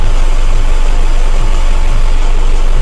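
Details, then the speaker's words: Subaru Outback after an engine reinstall following a broken timing belt, nearly at operating temperature while coolant is bled: a steady, even low idle with a smooth pulse of about 3.5 per second and no knocks or ticks. Normal idle. "it's running really well I'm just letting that off there's there's no noise is anywhere everything sounds good"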